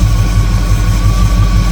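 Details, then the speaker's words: 1958 Chevrolet Apache V8 after rebuild, idle mixture screw tuned by small turns for best vacuum: deep steady even idle burble, no misses, RPM picking up as adjustment nears the right setting; normal smooth idle. "You want that thing as smooth as you can get it. See how nice that is? And you'll start to hear an RPM pick up."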